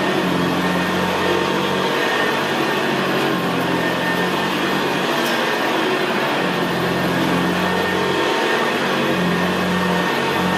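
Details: 1975 Hoover Senior Ranger U4002 vintage upright vacuum cleaner in use on carpet: steady, even, very quiet motor hum with a low gravelly brushroll growl; normal healthy running.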